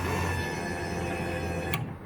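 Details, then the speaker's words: V8-swapped Datsun 620 with new harness, fuel system and no coolant system, key cycled before first start in months: steady electric whir with fixed whining tone for about two seconds, then click as it cuts off; pump primes, fuel rails pressurizing. "You probably can't hear it on the camera, but I can hear the fuel returning and dumping back in. So we've got fuel in the fuel rails. That was it, really pressurizing."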